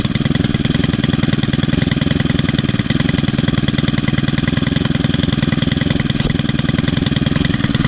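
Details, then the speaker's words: Four-stroke string trimmer started on one pull after sitting almost a month: an even, steady idle putter of about three and a half beats a second, no misses or knocks. Normal idle. "Oh yeah. For a trimmer that's almost 18 years old, it still runs excellent. Still has great compression too."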